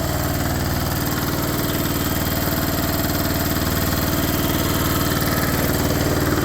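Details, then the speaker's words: Cub Cadet 482 fitted with a non-original engine swapped in from a red IH Cub, on its first start attempt: the small single-cylinder engine runs with quick, even, steady pulses and no misses or knocks; runs well. "wow I'm pretty happy um runs pretty good I'm impressed um"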